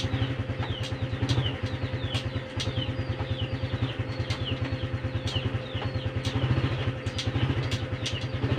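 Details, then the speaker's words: Honda Supra X 125 FI after adjustment (a small free gap kept), engine running with the rear wheel turning. Even low putter, gears engage cleanly and the earlier loud "ceklok" clunk is gone. Normal gear shift. "perhatikan kaki perhatikan gigi tuh udah ya ngobrolnya juga lebih enak dan nggak ada timbul bunyi ceklok lagi"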